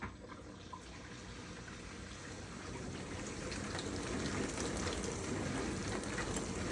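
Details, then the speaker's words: GE dishwasher (not washing, stuck in drain, FTD error) on test: water fill shuts off and the wash starts, with steady rushing water and an even swishing rhythm building; normal wash cycle. "So you didn't hear water before. All you heard was wash. Water turns off, now it should start to wash."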